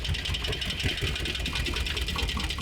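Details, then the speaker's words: Mercedes ML63 that sat about three months, jump-started: rough idle with an irregular deep, heavy metallic knock under the engine note; previous owner said engine blown, bottom-end knock suspected, bent rod feared. "I sound like bottom in but well the the previous owner telling us that add a blo engine might be right so take a listen to this knock"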